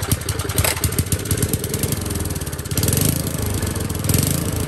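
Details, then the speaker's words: Old Tecumseh four-stroke edger engine pops unevenly at idle, surging and hunting; lean running while the main jet is opened half a turn at a time to pass a suspected blockage. "let's go half one loose and we'll just see if that looks a bit more fuel through and possibly past the blockage"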